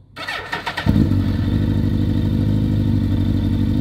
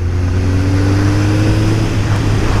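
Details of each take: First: Suzuki GSX-R1000 started after sitting one month: fires into an uneven, lumpy idle with a loping twin-like beat; first cylinder dead, three working. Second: Suzuki GSX-R 1000 under acceleration after a first-cylinder problem, suspected rust-clogged injectors, fixed at a garage: strong, even rising engine note, all cylinders firing cleanly, no stumbles.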